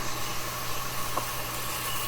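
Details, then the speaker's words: Sony TC-105 reel-to-reel tape recorder on checkout: quiet steady motor hum under soft tape hiss, no flutter, scrape or squeal; transport running smoothly at normal speed as it should. "going good that's how it should be going"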